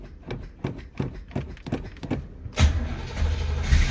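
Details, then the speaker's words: 1964 Chevy Corvette 327 with Edelbrock carburetor, sat a couple weeks, cold start: about three even cranking pulses a second for two and a half seconds, then catches cleanly into fast idle; normal cold start. "there it goes ah [Music] [Music] that's how you fix them puppies up"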